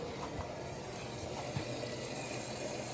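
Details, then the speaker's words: Whirlpool Duet WFW9450WW00, after cleaning the door lock latch and securing a loose latch for F15 error, quick wash: steady rushing hiss of water filling the drum over a soft low hum, no knocking, no leaks underneath. "Everything worked here. It's filling with water. Nothing is leaking on the bottom."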